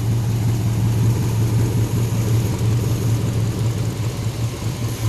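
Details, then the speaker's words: Homemade V8 racecar, first start, power steering hose just blew off: deep, lumpy idle with an uneven pulse of about three beats a second that hunts slightly; sounds like a misfire, rough idle from a vacuum leak at the brake booster line. "it's idling it sounds like it's got a nasty misfire ah I'm trying to get it to take some water puking [ __ ] fluid it's got a vacuum leak"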